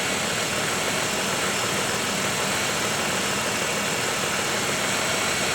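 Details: 1995 Oldsmobile 3800 V6 at first start after timing cover leak repair and timing chain service, while bleeding coolant: smooth constant idle, no knocks, misses or surging; it idles down properly.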